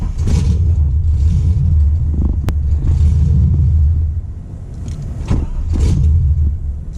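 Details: 1996 Impala SS with LS1 swap, restarted after battery discharge so the IAC valve can relearn: deep, steady V8 rumble at idle with a couple of gentle dips in level as it holds idle after starting.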